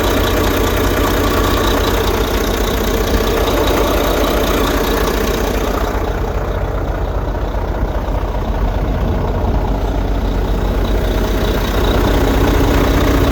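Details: Truck with a no-start problem after replacing an internally fried engine computer: steady, even idle with a smooth, regular beat and no misses or knocks; engine running normally.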